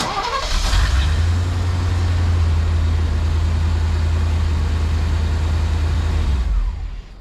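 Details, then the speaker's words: 1988 Chevy C30 wrecker after wiring an oil pressure switch into the fuel pump relay circuit: engine fires and runs rough and uneven for seconds, then dies; ran fine before, other wiring issue suspected; engine stalling. "it ran fine yesterday you know we hooked that switch up and it doesn't want to run"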